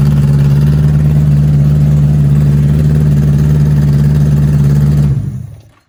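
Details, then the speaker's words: 1978 Honda Goldwing GL1000 after setting points ignition timing, previously not running at all: strong, even, steady low purr with no misfires or stumbles for five seconds, then shuts off cleanly; healthy idle. "Fires right up. Purrs like"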